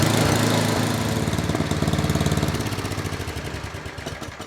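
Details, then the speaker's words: Old Tecumseh 8–10 hp single-cylinder snowblower engine after carburetor rebuild and cleaning, started with a little prime and choke: fires briskly then settles into an even, steady rhythm; runs smoothly. "This thing runs really good. This is another one of, it was one I did the other day or a week ago that was a 5 horsepower and it ran beautiful. This thing runs beautiful."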